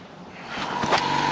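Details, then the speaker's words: Ferrari 512 BBi flat-12 on a leak-down test of cylinder 12: a loud rising hiss of air at the exhaust while the gauge drops toward zero, so the cylinder is leaking through the exhaust. "so we are trying cylinder 12. you can really hear that coming out now can't you yeah that's coming and that's going right down this list zero that's that's the exhaust"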